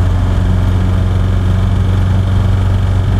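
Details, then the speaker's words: Triumph fitted with loud wheelbarrow aftermarket exhausts: deep steady low rumble at idle with even beat over engine rattle, no knocks; loud exhaust, not a fault. "you may note from the distinctive rumble that this car's got the wheelbarrow exhausts"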